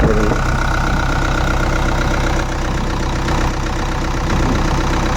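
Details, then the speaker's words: Four-cylinder industrial engine after a complete overhaul, refitted with the radiator filled and started the next morning. It runs a steady, even idle with a smooth low beat and no knocks or rattles, so the engine is healthy. "Engine sound ఎలా వస్తుందో చూస్తున్నారు. చూశారు కదా engine sound ఎంత ముచ్చటగా ఉందో."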